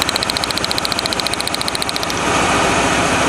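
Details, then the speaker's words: 1997 Lincoln Continental engine at idle with one spark plug wire unhooked as a final test: the lumpy, puffy thumping returns, about three to four a second, confirming a single-cylinder misfire after the burnt plug wire was repaired with tape. "here unhook that oh there's the puffy sound back the thumpy"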